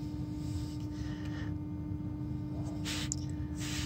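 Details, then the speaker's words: 2012 VW Tiguan TSI 4motion, engine off, key on; steady low hum with faint buzz heard best under car near oil pan, vibration felt; owner suspects oil pump running; battery drains fast; cause unconfirmed. "I'm gonna put it right in that area over there and you will hear some kind of humming noise it is better to hear from underneath the car"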